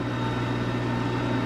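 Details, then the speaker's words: LG WM3488HS washer/dryer combo after replacing hot-air circulator fan motor whose worn bearings caused the whine: smooth, even low fan hum with no whine or rattle; normal dryer fan operation. "That particular motor sound, or that whining noise that I had, that's what it was. The bearings in the fan."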